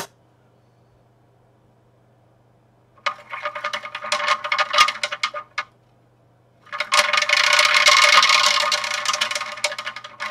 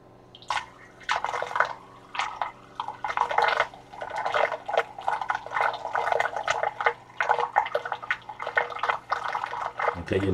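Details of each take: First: DIY vortex fountain magnetic stirrer: fast rattly ticking about four a second in uneven bursts over low hum, stir bar clattering because the vessel bottom is not flat. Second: DIY vortex fountain magnetic drive after adjusting the magnets: faint steady motor hum under splashing water, no longer any rubbing of the magnets on the glass; drive running normally and quieter.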